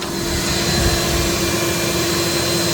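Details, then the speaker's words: AirVac AV3500 central vacuum unit, 23 years old, heard with the room door open, estimated 65-70 dB: steady, even motor roar with a faint constant whine, no rattles or surging. Normal running, quiet apart from a brief motor bearing noise at start. "but still even with the door open it's pretty silent so I don't think this thing is more than probably 65 Deb maybe 70 with the muffler was more like 80 so yeah so it's pretty reasonable"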